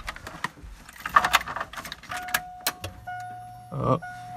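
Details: Subaru Impreza 2.5RS GC8 with swapped EJ205 engine and merged wiring harness: a few clicks and handling noises, then a thin steady whine with low hum; fuel pump priming normally at key-on.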